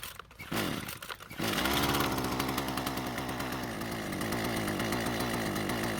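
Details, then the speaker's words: Husqvarna string trimmer with new aftermarket carburetor, fuel lines correctly routed: fires on a pull into a clean even two-stroke buzz, revs from idle perfectly and sounds strong at wide open throttle; runs normally. "because it started the way it was supposed to revved from idle perfectly and sounds fantastic at wide open throttle"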